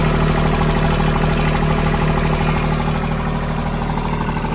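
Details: Branson 2500h tractor with A1100 diesel engine, three weeks old at 38 engine hours, steady idle with a regular knock about two and a half per second; owner doubts rocker arm clearance since that would sound different; source unclear.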